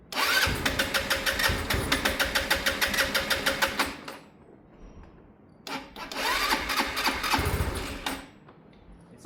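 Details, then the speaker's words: Sinnis Harrier motorcycle, start on a weak battery being boosted, brand new carb fitted: two bursts of rapid, uneven cranking catch briefly and fade without settling; hard starting, won't take revs on startup. "This bike, no matter what we do, that's a brand new carb, it just doesn't like revs on startup."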